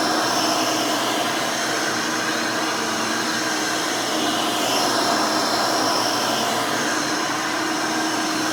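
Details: Factory-rebuilt Hoover Elite 600 upright vacuum with a new 7 amp motor and 20-blade fan runs with an even high whir and steady airy rush, no rattles or speed dips. It is fairly quiet, almost like the original 6 amp motor. Normal healthy run.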